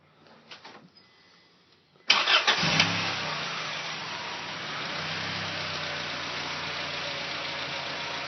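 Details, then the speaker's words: Honda with about 70,000 miles and no recent oil change: starter cranks briefly, engine catches and settles into a busy idle with a faint light tick at start-up, owner suspects lifter knock. "have not done an oil change got a little lifter knock in it start up"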